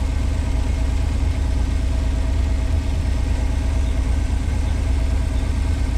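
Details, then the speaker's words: 1986 Pontiac Fiero SE V6, automatic, fully warm: a steady, smooth idle at 1,065–1,070 rpm that never settles, too high. It hits hard going into gear, and the owner expects about 650–800 rpm. "This thing's up to temperature. Idling at 1,065, 1,070. And I'll tell you guys, that's too much with an automatic."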